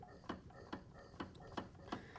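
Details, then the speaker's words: 2002 Honda CRF450R, bought non-running, engine rolled over by hand: light regular ticks about twice a second; cam and valves move, owner suspects something behind the clutch, unconfirmed. "You see the valves going down and the cam right there. You can see the cam for sure. But I hear something"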